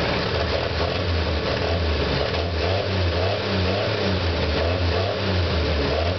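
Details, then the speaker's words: 1959 Chevy 2-ton flatbed truck with 261 Chevy six, restarted after about 20 years parked (WD in cylinders): settles into an even, steady run with smooth low rumble and clean revs, no knocks or misses; healthy. "yes truck is 55 years old and still going strong he's got a 261 chevy unit"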